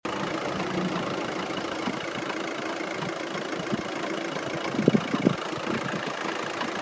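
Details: Audi at steady idle with a light, irregular ticking and a couple of sharper knocks; owner suspects the dual mass flywheel or clutch and considers a solid conversion kit, unconfirmed.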